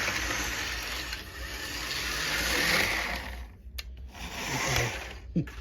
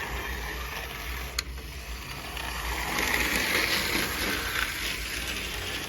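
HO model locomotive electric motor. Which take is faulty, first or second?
first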